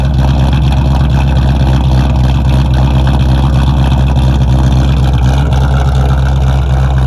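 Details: A 2001 Mustang Bullitt V8, started in winter on a big battery charger after a dead battery, holds a deep, even burble at idle, not revved, with no misses, knocks or hunting; a healthy, settled idle.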